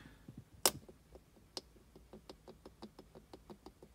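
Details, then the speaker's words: 2019 Corvette C7 Z06 while driving, radio off: light sharp ticking creaks about five or six a second behind the rear-view mirror trim; interior trim rattle, owner plans to wedge double-sided tape. "creaking noise that is actually coming I took the trim off of this and it's coming from right here driving me nuts"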